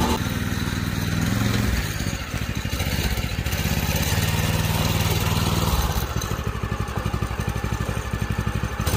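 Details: Predator 212 6.5 hp OHV engine newly fitted to a 1990s Manco Thunderbird minibike: single-cylinder thump about four per second, rising and easing with throttle, no knocks or misfires. Runs healthy.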